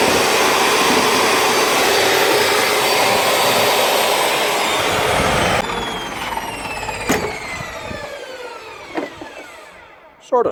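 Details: DeWalt table saw that wouldn't start, after brushes checked OK and a burnt switch area fixed with new spades and a new lead: motor spins up with a steady whine, then coasts down smoothly with falling pitch; runs normally.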